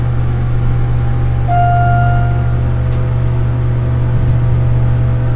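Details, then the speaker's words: Schindler glass hydraulic elevator, recorded riding in the car after repair: steady low hum with a soft, constant rumble, no jolt and no squeak; a mild ride rumble remains, much less than before. "rumbling a little, but not nearly as badly as it used to. No squeak."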